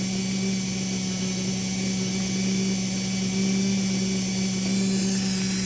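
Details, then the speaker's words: Rebuilt model train S'ta Rosa motor (vintage PulMor armature, six-magnet DC field conversion, RC front ball bearing) at full 17 V, about 0.4–0.45 A: steady hum, strong low buzz, faint high whine, no knocks; normal full-speed run. "17 volts so this would be full out and it will not take any more it'll go from four to four and a half"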